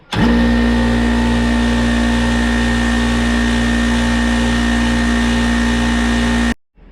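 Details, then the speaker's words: Craftsman 220 V, 6 hp, 33-gallon twin-cylinder oil-free air compressor after its leaking regulator was replaced with a Harbor Freight one: a steady, even motor drone with a low pulse, shutting off cleanly at 125 PSI. It runs normally. "Alright, so this compressor now has 125 PSI in it because that's when it kicks off."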